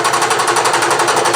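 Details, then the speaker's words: Bridgeport mill with Cincinnati dividing head cutting an aluminum spur gear by direct indexing: steady cutting roar with a regular clunk about seven times a second as the cutter turns; brand new arbor running out of true. "And that Arbor does not run very true at all. Considering it's a brand new Arbor, you can hear it clunking."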